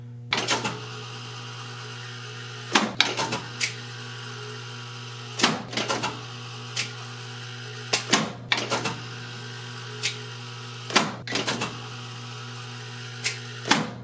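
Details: 1970 Wurlitzer 3400-series jukebox selecting records A1, C1, E1, G1, J1: steady mains hum with repeated short whirrs, each ending in a sharp click or clunk about every three seconds as the selector cycles normally.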